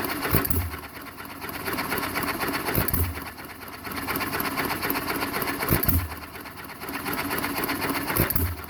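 A sharp firing burst every three seconds or so with a light clatter while it coasts; an even hit-and-miss cycle, running right.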